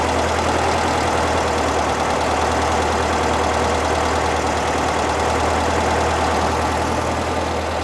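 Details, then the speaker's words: 1975 fuel-injected VW Beetle idling after intake boot replacement and vacuum leak fixes, warmed a few minutes; steady smooth throaty idle around 1100 rpm, slightly higher than expected, no hunting or misses; running healthy. "Sounds happy there. But she's running good. She's running smooth."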